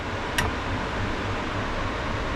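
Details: Balcony extract fan with an asynchronous motor on a new speed regulator, after a miswired extra lead was removed: soft steady whoosh and low even hum with no drone or rattle; fan running smoothly at low speed.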